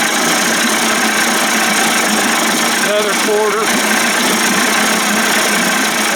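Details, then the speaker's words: Johnson Tracker 25 hp outboard converted to 30-35 hp with bigger carb and 72D jet, after turning a carb screw in about a quarter turn: steady, even two-stroke buzz, no misses or stumbles; sounds pretty good, normal idle. "yeah she sounds pretty good i hate doing this boy look at how much gas that puffy sucks out wow"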